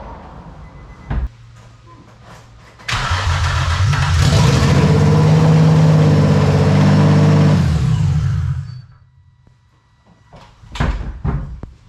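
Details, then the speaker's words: Project Z car's first startup after the build: clicks, cranking, then it catches into a loud, raw, deep blare and settles for a few seconds; running with no exhaust or muffler fitted. "oh well hey it started that's all that matters so now that i know that it runs"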